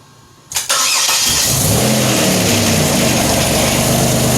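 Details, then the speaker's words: 2007 Pontiac Grand Prix with ZZP XPZ cam after timing chain correction, cold start; quick crank, catches at once into a steady lumpy cam idle, no misses or knocks, no rear smoke, no leaks, 50 psi fuel pressure. "But we got no smoke coming out the rear. That's good. Not seeing any leaks anywhere."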